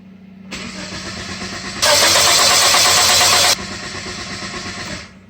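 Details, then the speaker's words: First-generation Chevy/Geo Metro (Suzuki), 64,675 km, key on with no fuel pump prime heard; even, steady cranking suggesting good compression but no firing, crank no start with no fuel delivery. "Nothing. Okay. Well, no prime, and let's go outside and use our nose to smell."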